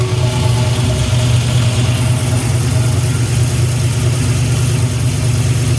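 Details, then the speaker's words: 1974 turbo Camaro after a compression leak was fixed and reassembled, compression at 150 psi; deep, even exhaust rumble with a steady lumpy pulse and no knocks or ticks, a normal healthy idle. "How's she going to run? That sounds a lot better."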